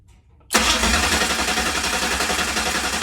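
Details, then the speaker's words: 769hp 409ci Ford 351 Cleveland on engine run stand, starter on bracket without bell housing after grinding starter engagement: fires instantly and settles into steady, even idle, no knocks, misses or grinding; good oil pressure, healthy. "It now turns over without catching anything, so let's just see what happens when we turn it over."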